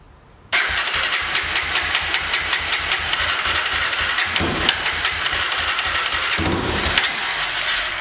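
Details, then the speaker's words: 2006 Honda TRX300EX ATV, sat a couple of years, said to need a carb clean, key on, choke supposedly on: fast even starter whir with one soft pop, never catches; cranks but won't start, fuel trouble suspected. "So let's see will it even start. Hopefully it does, and we'll be able to see exactly what's going on with it. Key is on, choke is supposedly on."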